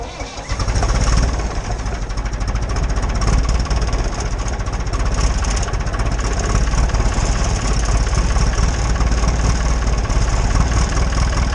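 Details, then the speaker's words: Tractor started after sitting three months in the snow, glow plugs warmed first: a brief rough crank, then the diesel catches and clatters on at a steady, slightly uneven idle; rough, but it started. "ruff rotten but she started that's pretty good percent for three months"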